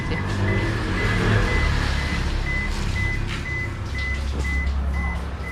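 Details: Toshiba washer: won't wash or spin, drain motor runs nonstop, then lights flash with a steady train of short high beeps, about two a second, over drain pump hum; fault alarm, board or drain suspected.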